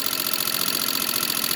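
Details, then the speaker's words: 1987 Suzuki LT300E single-cylinder ATV at idle after oil change to 10W-40 and cam tensioner reset: light quick metallic valve tick, quieter than before; owner suspects valve adjustment, may recheck valves. "so I'll turn her on and pull her over and see if the tick's quiet it down any okay so you can still hear the tick but it's considerably less than what it was so"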